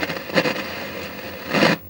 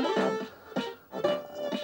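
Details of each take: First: Commodore 1701 CRT monitor from the 80s, before capacitor replacement, audio very poor and low: harsh scratchy crackle bursting over faint hiss when switched on, crackling audio output. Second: Commodore 1701 PAL CRT monitor (220 V 50 Hz) after full electrolytic capacitor replacement and cleaning, which earlier had sound and image issues: clean, undistorted music from the small speaker, no crackle or hum; audio working normally.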